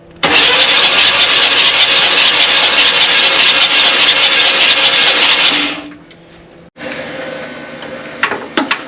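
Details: 1967 Buick Riviera sitting 20+ years, on original parts, cranked again for a spark check after the points were cleaned and regapped and the cap cleaned. Even, quick cranking at about two and a half turns a second with no firing; the starter spins the engine freely and healthily.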